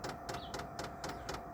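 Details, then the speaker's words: Diesel air heater used for home heating, starting up outdoors after glow plug warm-up: crisp, even fuel pump ticks about four a second over the fan motor hum and burner roar; normal operation. "the pump ticking. The diesel pump, and you hear the motor going, and the roar from the burn chamber."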